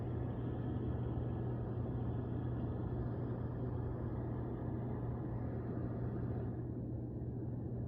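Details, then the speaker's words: Hot tub jet pumps, both sides working after a bad capacitor on one pump was replaced and panels refitted: steady low motor hum under even water rush, no buzzing or stalling; running normally. "So let's try the ones that didn't work last time first. And you see they're working. This side. And they both work."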